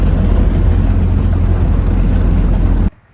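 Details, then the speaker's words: 1930 Ford Model A with a newly installed rebuilt early-1930 Zenith carburetor, idle adjusted: deep, strong exhaust drone pulsing steadily under load with no misses or pops before cutting off. Runs cleanly, whereas the old carburetor's reproduction jets were suspected of making it run poorly. "And that sounds pretty good to me."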